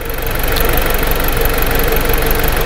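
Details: 2010 Jeep Patriot after an intermittent stalling fault was repaired by cleaning grounds and a crank variation relearn: steady, even idle with a smooth low rumble, no stumbles, misses or surging; normal idle.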